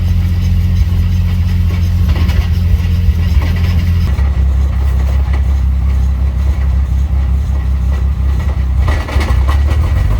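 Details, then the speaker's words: 1995 240SX with stock non-VVTi 2JZ-GE on solid mounts, on jack stands running in third gear, heard from under the car: steady heavy drone with faint rhythmic throb; owner suspects the driveshaft is wobbling, not confirmed. "Look up under there real quick. See what's going on. Actually, to be quite honest with you, I think the drive shaft is a wobbling."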